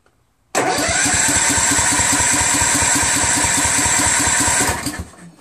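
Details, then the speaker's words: Husqvarna YTH21K46 mower, Kohler Courage 21 HP, new carburetor: the starter spins at about four pulses a second but it never catches. No fuel gets past the suspected fuel solenoid; it starts only with carb spray. "it is the solenoid super odd man well at least we know the magneto is on correctly or is it it's obviously not getting any fuel"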